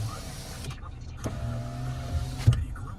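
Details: Lada Vesta SW Cross passenger power window after disassembly and damping a rattling door plug; motor runs with smooth, even hum, stops with soft thud, no squeak, quiet normal operation.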